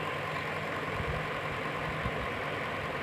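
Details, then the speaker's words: Table fan after its body was realigned and firmly retightened: a steady, even whirring hum with a faint low rumble and no rattle or knock; the sound is completely fixed and running is normal. "देखिए पहले से आवाज ठीक-ठाक है। इसका आवाज एकदम change हो गया। देखिए एकदम बिल्कुल सही हो गया है इसका आवाज।"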